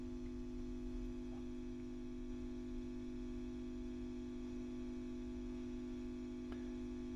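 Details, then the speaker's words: WEM Westminster MK9 10 W push-pull valve guitar amp (ECL82 outputs, Fane 12 inch speaker) during restoration, powered up: steady low hum with constant buzz and faint crackles, suspected from the on/off switch built into the pot. "so the noise we can hear that the which is the buzzing I think is this switch here and it's a common problem with these onoff switches that are incorporated into the pots they tend to be very noisy"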